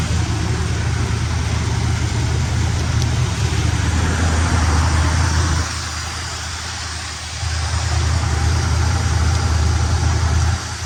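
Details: 1972 Buick Skylark left running to warm up after the carb was primed with gas: steady, even low idle with a smooth rumble and only a brief dip in level, no misses or tapping; healthy.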